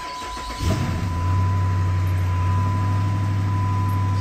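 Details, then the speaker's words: 2010 Dodge Charger donor car with 5.7 Hemi: quick crank catches at once into deep, steady, even V8 idle, no knocks or misses, no check engine light. "sounds good amazingly aside from like a flashing brake light which I don't care about there's not even any lights in the dash so no check engine light"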